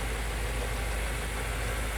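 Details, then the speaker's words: BMW M6, crash-damaged and rebuilt, with a noise that appeared about 5000 km later; listened at the gearbox at idle. A deep, steady drone with a low rough rumble, the same tone as heard inside the car. The cause turned out to be a cover rubbing on the gearbox. "And if I listen to the gearbox, the sound that I'm getting from the gearbox sounds exactly, it's got the same tone as the sound that I heard inside the car."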